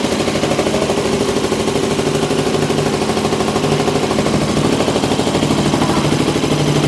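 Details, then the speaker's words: Used motorcycle pre-purchase inspection, idle heard through a stethoscope: loud, even pulsing idle holds steady with no knocks, ticks or hunting, returns to stable idle after revving; cold and hot starts fine; normal idle. "en parámetros todo está funcionando muy bien el ralentí también se encuentra en buen estado porque vemos que se mantiene no está inestable"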